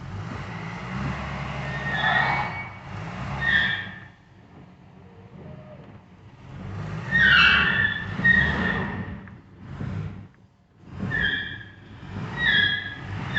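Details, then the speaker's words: 1968 Mercedes-Benz 280S, brakes locked up from sitting: short high squeals at each slow roll, rising and fading as a rear wheel turns while the other side seems stuck; brake drag from seized brakes. "hmm interesting so something's not working right which one's squealing this one's squealing so it must be the one that's turning so the other side is not turning"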